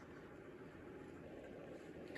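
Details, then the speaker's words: 1997 Craftmade Deluxe flush-mount 42-inch ceiling fan on high speed, bearings known to be awful, capacitor also suspected: steady, low, rough hum with a dry rumble under the motor, fan wobbling slightly. Ceiling fan bearing noise. "oh oh yeah you hear that Baron noise and it's wobbling a little bit as [Music] well"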